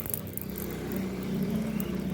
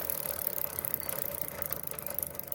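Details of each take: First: Motorcycle with a correctly tight chain after oiling the dry chain with a syringe: rear wheel spins with a steady, even low hum, no clicking from the chain. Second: Motorcycle rear wheel spun with chain correctly tight, links, sprocket and lock checked fine: fast steady kat-kat clicking from dry drive chain; fix is lubricating chain with old engine oil via syringe.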